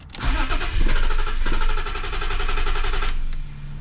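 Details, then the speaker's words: BMW M50 engine from an E34, donor for an E30 swap, after new spark plugs: the starter whirs, the engine catches, surges and sags into a lumpy idle. With the MAF unplugged it holds idle, so a bad MAF is suspected; a misfire remains. "so i unhooked the math and started it and it actually runs so i believe this thing has a bad math because it's actually holding idle now which is nice"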